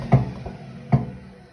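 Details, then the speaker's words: Hotpoint Ariston WMUF 5050 washing machine: two dull thumps about 0.8 s apart, one per drum turn, worst on spin; no knock when rocking the drum. "Значит, когда крутится барабан, особенно вот в момент отжима, происходит происходят стуки."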